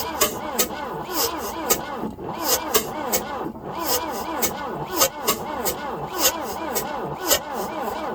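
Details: 1966 Volvo Amazon 122 estate wagon, long abandoned, start attempt on boat gas poured into the carb: steady starter churning at about two compressions a second, never catching; cranks but won't fire.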